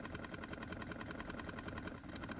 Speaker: it sounds like water gurgling through something it can happen when the engine is running or not the key has to be on